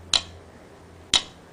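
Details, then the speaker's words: Trailer ABS valve on a test box powered through the stop-light supply: two sharp clicks about a second apart as the modulators cycle on power-up; normal ABS self-test click. "okay so there you can hear the the clicking noise from the modulators with the stoplight power"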